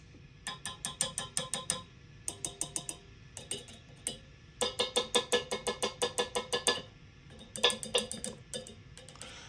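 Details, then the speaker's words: 1974 Fender Twin Reverb with Tube Amp Doctor 6L6GC power tubes, running at a simulated 120 V wall supply, tubes tapped with a chopstick: bursts of taps each ringing with a metallic ping through the speaker; the reverb recovery preamp tube is highly microphonic. "So your reverb recovery tube is highly microphonic."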